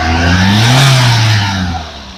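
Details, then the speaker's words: 2011 Toyota Etios Liva petrol engine, well maintained, revved once: smooth rev rising and falling evenly with no knock, tick or rattle under the hum, a healthy petrol engine. "Friends ಕೇಳಿಸಿಕೊಂಡ್ರಾ sound ತುಂಬಾ smooth ಆಗಿದೆ petrol engine well maintain ಮಾಡಿದ್ದಾರೆ"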